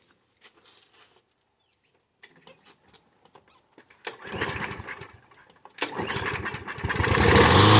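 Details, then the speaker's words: Craftsman lawnmower left sitting in a backyard: silent on first pulls, then catches on starting fluid and runs rough in short bursts; owner believes carburetor jet clogged from disuse, needs cleaning. Fuel starvation, clogged carburetor. "fluid all right so you heard it start for a little bit and I'm pretty sure I know what the problem is it's 90% of the time what happens is that when you don't use this for a long time I think it's the carburetor that's in here gets clogged and you have to clean it out"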